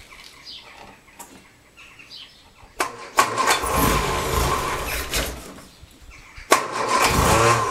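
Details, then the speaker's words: Lotus Elan twin carbs, cold start after 500 miles, distributor parts changed: catches and settles to low, lumpy, uneven idle around 500 rpm cold versus about 1200 hot; raising cold tickover makes it too fast when hot. "if I increase the takeover speed when it's cold it's then too fast when it's hot"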